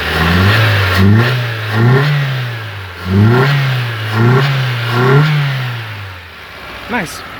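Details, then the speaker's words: Hyundai Getz after engine rebuild: repeated quick throttle blips rising and falling cleanly with no stumble or missing beats, all cylinders firing; no longer a two-cylinder. "Let me give you a little rev. She's no longer a two-cylinder anymore."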